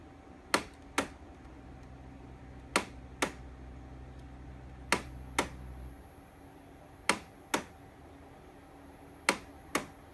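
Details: Air conditioner making an abnormal noise: sharp paired clicks about every two seconds over a faint fan hum. Intermittent clicking, cause not yet known.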